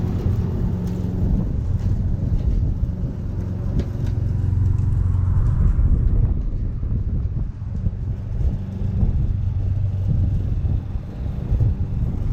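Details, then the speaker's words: Free Craftsman push mower, after a first-pull cold start, mowing: steady low engine note holding speed evenly with only grass-load dips; normal running. "it's going to start guys that's with the exhaust coal see that is a cold start right there man we're in business"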